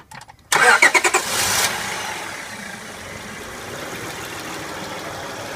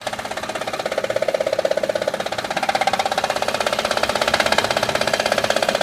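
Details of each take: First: Honda Odyssey after replacing a dry timing belt tensioner that caused engine noise: brief crank, catches quickly, then a quiet, smooth, even idle with no ticking or squeal. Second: Honda Odyssey engine at idle: a rapid, very regular ticking clatter of about two per second rides over a quiet idle, caused by a failing timing belt tensioner that was then replaced.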